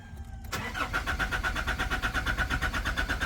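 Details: Nissan Navara NP300 diesel, cranking: the starter turns it over at an even six or so compressions a second with a steady whine, but it never catches and runs.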